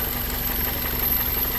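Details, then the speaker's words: 2001 Toyota Corolla 1.8 petrol idling unevenly and shaking, low exhaust beat stumbling as cylinder 1 misfires (code P0301); vacuum and injector appear fine. "pueden escuchar el motor está inestable ves tiembla como no tiene idea el motor"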